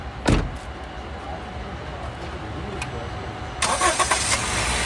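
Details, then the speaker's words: Honda City after its starter (self) motor was repaired; before the repair it only clicked and would not start. Now a short quick crank and it catches first try, settling to a steady idle with a slight rev. Problem solved. "य एक self में हमारी गाड़ी start हो रही है हमारी जो प्रॉब्लम थी वो सॉल्व हो गई है"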